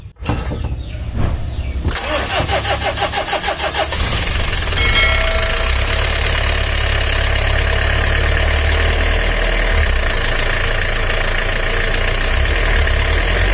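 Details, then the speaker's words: Mitsubishi L300 diesel, with complaints of weak power and high fuel use, after timing belt adjustment: it cranks and catches, then a dry, uneven rattle rides the cold idle until oil pressure reaches the top end. "Tapi waktu oli belum naik ada suara kemresek itu tandanya oli belum naik apalagi kalau mobil ngobos itu terdengarnya sangat jelas"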